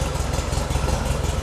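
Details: Porsche 356 Speedster VW-based kit car, cold start at 37°F after ball joint drop spindle install, about 40 psi oil pressure: steady low burble with even quick pulses, no knock or rattle; idling smoothly. Normal idle.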